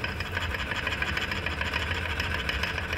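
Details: Honda Vario 125 scooter at high rpm: thin high whine over low rumble from final drive; suspected pulley shaft or 6301 bearings, worn final drive gears found.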